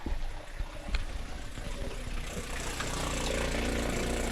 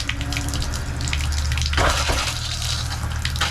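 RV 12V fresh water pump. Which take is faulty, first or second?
first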